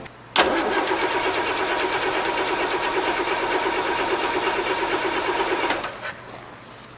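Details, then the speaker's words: Land Rover Series 3 parked since 2000, first crank after 24 years: starter spins engine at even rapid chug about five seconds with no firing; not seized, seems to have compression, no start. "It's not starting, but it's still exciting because I was 99% sure when I went and checked this Land Rover out that the engine was [music] not seized up and we just proof it's it's spinning fine. And it sounds like there's compression."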